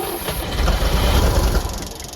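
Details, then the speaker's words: Old Champ forklift, unknown year, sat for years; fuel pump working but no fuel yet, small leak; engine turns over with strong even low chugs but never catches, then winds down; cranking, no start due to no fuel. "do all right so this old girl run once we get her some fuel"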